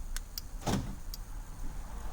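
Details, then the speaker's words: 2009-2010 Ford F150, door locks cycled from a newly programmed 5-button remote-start remote: a few crisp, quick clunks over a quiet cab as the actuators snap over cleanly; normal door lock operation. "I'm going to go ahead and I'm going to lock the doors, and I'm going to unlock the doors. If you listen, you can hear them."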